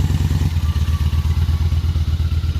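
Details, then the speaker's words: Honda Shadow Spirit VT750 V-twin with new Chinese carburetors, cold start on choke; fires right up, even steady low thumping about nine beats a second: normal cold idle. "Let it run with the choke on for a sec, then I'll take the choke off. Oh man, it's fire right up. Love it."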